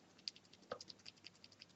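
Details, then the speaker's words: Cherry MX Silent switch in a keyboard making light, sharp ticks about every fifth of a second. The ticking lessens when the switch halves are pressed together, so the owner suspects the top and bottom housing are not firmly joined. The switch is clicking. "the ticking is less when I press together on the switch like so"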